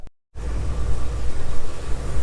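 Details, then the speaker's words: Engine runs smooth "like a kitten" after repair to a stripped spark plug hole (rethreaded, insert installed) and a good test drive; even low rumble, no knocks or ticks, normal running. "all right got her all done first like a kitten now took her for test drive she did good so this one is done out the door on to the next one"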